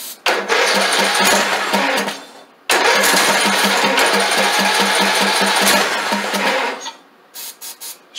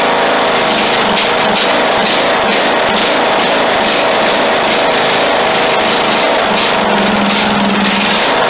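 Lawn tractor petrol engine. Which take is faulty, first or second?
first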